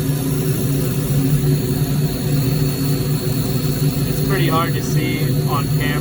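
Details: Firelake/Shenandoah waste-oil furnace burner after pump service, air set around 15 and oil being tweaked: a steady low burner and blower roar with a few short tonal chirps near the end; normal, even firing.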